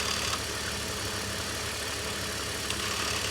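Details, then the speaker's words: E46 330i M54B30 idle, belt removed to isolate the noise: light, uneven tinny rattle at about four taps a second from the DISA valve in the intake. The larger rattle is gone; the water pump also needs changing. "yep the Visa is rattling a little bit but the larger rattle that one is actually gone"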